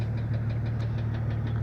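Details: 1998 Jeep Cherokee XJ 4.0L daily driver with a noise that appeared overnight, persisting after the head was removed and the lifters replaced; light, quick ticking over a steady idle hum, owner says not rod knock or piston slap, cause unknown.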